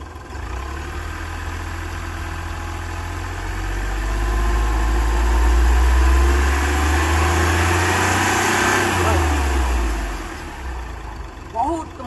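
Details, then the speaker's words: Hyundai Xcent diesel with a low pickup complaint, revved slowly from idle and back: faint fluttering under rising revs; mechanic suspects a boost leak causing a minor pickup drop, not confirmed. "वहाँ boost leak हो जा रहा है, यानी pickup drop हो जा रहा है, बहुत माइनर ड्रॉप हो रहा है, बहुत ज़्यादा नहीं पर बहुत माइनर, एक हल्का सा फरफराने की आवाज़ आ रही है।"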